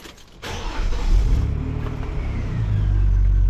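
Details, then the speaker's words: Vauxhall Omega 2.5 V6 estate after fitting a new exhaust system replacing wrecked tailpipes; engine catches and settles into low, soft, even hum with no blowing or rattling, very quiet. "so very, very quiet now. Righty ho, let's get out of here. It's so quiet."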